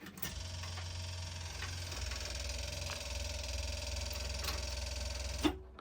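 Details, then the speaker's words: 1973 Mack FR711 with 250C engine and quad box: a non-standard auxiliary electric fuel pump buzzes steadily for about five seconds, then cuts off cleanly, working normally. "So, I found the wire to the uh fuel pump, the electric fuel pump, which they don't they don't normally have, but um yeah, I mean, it's there for the moment."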